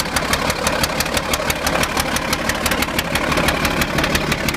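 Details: Caterpillar D8 diesel running rough at idle for a few minutes before clearing up: heavy, uneven, lumpy beat of about three pulses a second with sharp ticking on top.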